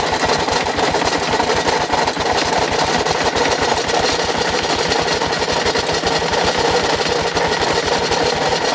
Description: 2006 Kawasaki KLR650, done 25000 miles with regular oil changes etc., has suddenly developed a very noisy engine.... but it still got me home!